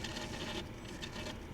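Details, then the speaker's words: Mercedes G-Wagon that stranded its owner, with fuses found removed by the dealer, at idle while a scan tool tries to force a transmission adaptation. A quiet rapid ratcheting buzz comes and goes as the throttle body grinds horribly. "making horrible noises. That doesn't sound good."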